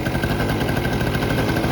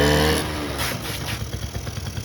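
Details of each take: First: 1984 Honda Aero 50, a 50cc two-stroke. The oil injection line was popped off to check that the pump delivers oil, creating a vacuum leak: fast, slightly ragged, breathy idle. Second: 1984 Honda Aero 50, a 50cc two-stroke scooter, on its first run in 5 years after a carb rebuild. Buzzes and climbs in pitch as the throttle opens, holds a steady rev, then settles; fires cleanly and runs, smoking a little.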